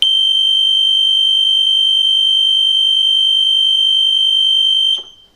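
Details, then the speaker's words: DrainMajor 60 Duo dual sewage pump system high level alarm: loud steady high-pitched electronic tone for about five seconds, activating when one pump fails and water rises before the second pump kicks in; mute button available. "Indicating onto the high level alarm, that will still sound for a period of time."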